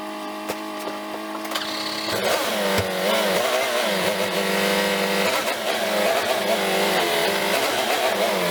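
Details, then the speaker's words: 1967 VW Beetle "Ruby", air-cooled flat-four, started just after a new distributor cap, rotor and plug wires on a roughly 40° day. It catches after a few seconds, then revs and settles into a smooth, even rhythm with no misfires; it sounds well dialed in. "all right I'm pretty sure you guys can hear that I think we got Ruby pretty well dialed"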